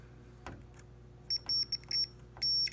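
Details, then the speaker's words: 1980 Atari Missile Command arcade PCB, logic probe on chip pin five while moving trackball, after cutting off a chip holding the line low: high probe tone chirping in uneven bursts; live signal activity. "I'm moving the trackball you can hear it moving pin two well there's not an output there's no chip but if I go to pin five one two three four five and move it see like I got activity"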